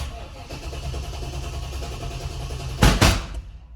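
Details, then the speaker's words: 1995 Chevrolet Impala SS V8 just after start; rough running with two sharp loud bangs about a quarter second apart, backfiring; owner suspects the Opti (optispark), with fuel injectors or mass airflow sensor also considered. "yeah backfiring think opties that's going to be my next project to dive into"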